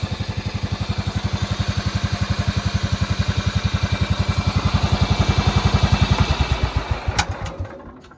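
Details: Cub Cadet riding mower with 16 hp horizontal-shaft Kohler single-cylinder engine, after repair: crisp, very regular thump about four beats per second, then winds down and stops cleanly; cut grass well, runs healthy and ready to sell.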